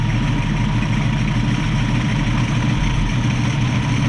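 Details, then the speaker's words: 1965 Mustang with a straight-six, after carb bench adjustments to the choke plate and tang and a reconnected heat riser tube: steady, even idle near 800 rpm with a smooth low rumble, no misses or stumbles. It won't stall on throttle. "that sounds so much better hopefully we have this all figured out"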